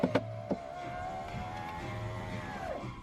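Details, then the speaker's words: 1998 Honda Prelude (5th gen) right-hand door after new window regulator installed: window motor hums smoothly about two seconds then eases off as glass seats, no grinding or clicking; normal power window operation. "After 2 years, I finally have electric windows. Oh yeah. Oh, 2 years, man. 2 years. No electric window."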